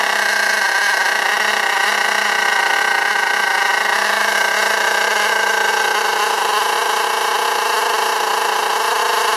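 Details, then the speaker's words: STS D30M model engine being run in, throttle untouched: a high-pitched nitro screech creeps up and sags slightly as it hunts toward an uncontrolled over-rev; the owner says it can rev itself out and smoke, cause unknown. "you see it's h revving up and dropping down slightly but it does get worse than that and it'll completely rev itself out and smoke up so any ideas can let me know"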